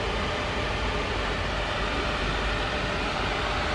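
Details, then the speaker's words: Polaris Predator 500 ATV after carburetor clean and idle adjustments (it had been idling up earlier): constant cooling fan whoosh over a low, even engine note holding steady without hunting up; normal idle with fan running. "you hear the fan going i had to do a little bit of adjusting where it stayed running where it ain't allowing up cause she was island up on me earlier so i had to do a few adjustments"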